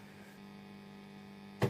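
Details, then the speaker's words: 1990s Vox AC30/6TBX valve amp, well-gigged, at power-up with all controls down: steady low mains hum plus a brief click near the end; noisy amp overdue for service. "Right, we're up and running. My word, that is noisy."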